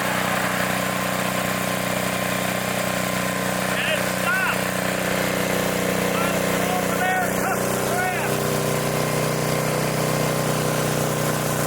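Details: 1960s Bolens Lawn Keeper 28-inch mower, carburetor not yet adjusted, untouched at least 15 years: even, steady drone holds speed cutting grass, no misses, knocks or surging; healthy under load.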